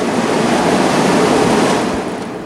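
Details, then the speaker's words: Frigidaire FAC103K1A1 9,950 BTU window air conditioner, rotary compressor, R-22, mechanical controls, fan on low: steady airy rush from the back with no knocks, rattles or squeals; loud near it but mostly normal condenser fan noise, front quiet. "so even though it's it's loud here because we got the all the condenser fan noise I don't think it's that loud"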